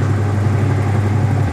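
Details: Electrolux 12 kg twin-tub washing machine, wash motor running: a steady, even, smooth low hum that cuts off near the end, running normally. The spin-dryer side only hums without turning.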